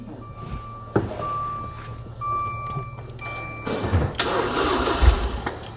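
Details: Crash-damaged Maserati non-runner with a relay fault: a few clicks and brief tones, then the engine cranks and catches into a rough, rising run once the relay is bypassed with a jump wire; cause unexplained, as wire continuity tested good.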